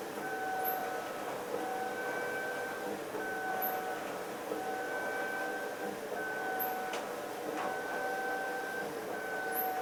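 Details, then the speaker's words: Flex CNC rigid tapping last row of holes on a cart top fixture plate, after controller software fix for tapping cycle; spindle tones stepping on and off per hole with coolant wash, clean healthy tapping. "all right on the last row we got a few more holes 59 1/2 minutes we're right on that 1 hour mark let's see if we can watch these last few being tapped"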